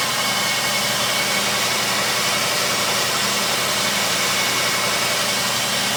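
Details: Jeep Grand Cherokee WJ Overland at idle: constant harsh high-pitched screech well above the engine note.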